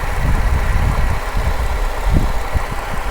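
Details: Holden VZ Commodore police pack at idle, with milky sludge under the oil cap (owner suspects a gasket). A rough idle with a loose, irregular rattle over the low rumble; cause unclear.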